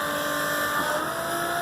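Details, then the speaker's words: Macerator pump emptying an RV black tank into a standard toilet, possibly near the end of the tank: constant, steady-pitched motor whine with wet churning as it chews up debris, no stalling; running normally. "sounds like it might be close Kubby just chewing up debris"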